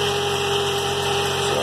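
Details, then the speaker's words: 2003 GMC Envoy 4.2 V6 after repair of terrible misfire, new spark plugs and replacement of a bad coil pack, idling cold: even smooth hum with no stumble; normal idle, no more miss, good power. "saw sounds good no more miss we got good power"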